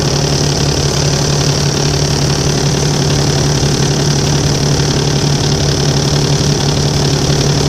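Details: Volvo 7700A diesel city bus from Budapest (FKU-942) at idle: loud steady drone with low uneven knocking about three per second; weird noise these buses often make, cause unknown.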